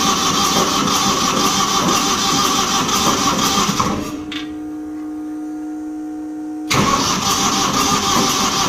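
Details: Old diesel light tower generator, sitting for years, after replacing a fuel hose: steady starter cranking about three turns a second, briefly stopping, no firing; air in fuel lines, fuel not reaching injectors.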